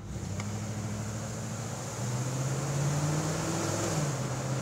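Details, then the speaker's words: 1984 Jeep Wagoneer that previously died on the road, accelerating from a dead stop: engine pulls cleanly, pitch rising steadily then dropping at the shift into second, no stumble or stall; normal acceleration. "I'm going to do a dead stop and then accelerate. And you'll actually see this thing run."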